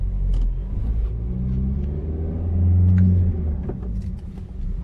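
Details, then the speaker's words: 2004 VW Caddy on road test: sharp knocks from the front over bumps, worn shock absorbers and control arm bushings from age; replacing shocks and bushings as a set recommended. "aracımız da yılların vermiş olduğu yorgunluk amasörleri mizes kaslardan geçince ses yapıyor"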